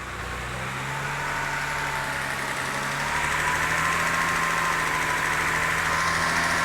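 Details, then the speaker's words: BMW 330i (ex-auction non-runner) after refitting cylinder 5 ignition coil/plug: engine revs slowly and evenly to about 2,500 rpm, smooth steady firing with no stumbles; misfire gone, running clean. "that's the 2 and 1/2k there that's not misfiring now"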